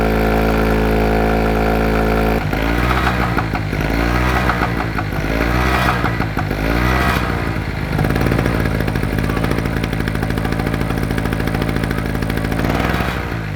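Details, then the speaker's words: SIP 750 W single-phase two-stroke generator that had suddenly stopped working, restarted after draining water: buzzy note surges up and down instead of holding steady; engine hunting at no load. "it starts up alright we know we're on a winner I know it hunts a little bit on the no load but we'll sort"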